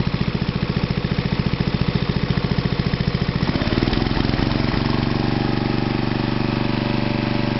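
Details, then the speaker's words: Toro 832 ride-on mower after new carburettor, battery charged; steady cranking then catches at about three and a half seconds and settles into an even smooth idle, engine not yet hot; starts well. "Not isn't that hot, but she started, didn't she? Start well."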